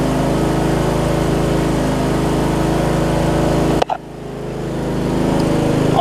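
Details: John Deere 125 rider with a 14.5hp single-cylinder engine swapped in from an MTD, replacing a blown 20hp Briggs V-twin: steady buzzing run suddenly dips, then slowly climbs back; revs not holding even, governing seems off, cause suspected, not confirmed.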